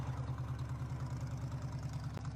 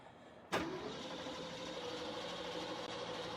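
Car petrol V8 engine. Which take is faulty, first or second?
second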